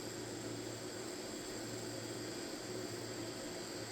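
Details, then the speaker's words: Wormhole tattoo pen loaded with a cartridge, run up from 4.5 to 8 volts: loud steady high-pitched buzz over a constant hum, needle protruding a lot and vibrating heavily; much noisier than a comparison pen, excessive running noise. "The needle's sticking out a lot. It's really noisy. It's noisy and it kind of vibrates a lot."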